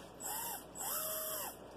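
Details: Track Star brushless motor: the gear spins freely with no load, but a finger on it stops it. It only runs normally when the shaft is pulled outward on its play. A thin whine rises and falls in two bursts, then the motor stalls when held.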